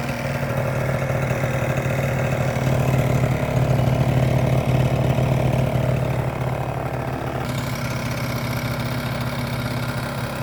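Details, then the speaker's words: 50cc two-stroke scooter engine idling warm, with the original airbox back in place: a steady, even buzz with no knocks. The bearing sounds good and there is little vibration. "And sounds good. Sounds pure and simple and uh bearing sounds good. Doesn't vibrate very much either."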